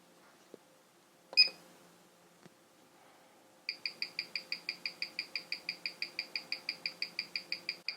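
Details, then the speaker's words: Merkur Pierre Paulin jumping-hour watch on timegrapher, face up, new out of the box: crisp even ticks about six per second, losing about 14 seconds a day, good beat error; healthy running movement. "and face up still not bad we're losing 30 14 seconds today our beat eror is still going great so overall for this guy I am impressed right out of the box"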